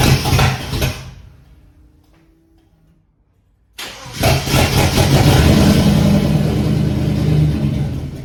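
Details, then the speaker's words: Holden VK Commodore Brock tribute, 5.0 V8, first start after sorting electrical faults: rough cranking, pause, then catches into a heavy uneven idle; owner thinks it flooded, started with pedal floored; hard starting after cranking. "I think what happened there was I think it flooded and didn't want to start so foot to the boards and bingo it lit up"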